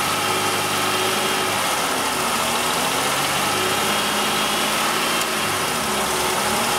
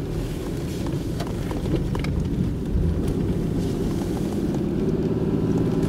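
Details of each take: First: GM 3100 V6, being revved: busy, clattery running with a hard mechanical knock; slight rod knock or upper engine noise giving a false knock sensor signal, retarding timing and causing intermittent low power. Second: 1996 Oldsmobile Cutlass Ciera 3100 engine, driving with the knock sensor unplugged: smooth, steady rising drone under acceleration with no pinging. There is no knock activity and only about two degrees of retard, so power is restored once false knock-retard is removed.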